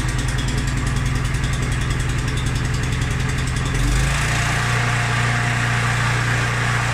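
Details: Mountfield SP536ES self-propelled mower, RM55 160cc engine, after service, new battery and drive belt: steady, even single-cylinder putter with a deep low beat, holding speed without misses. Normal running.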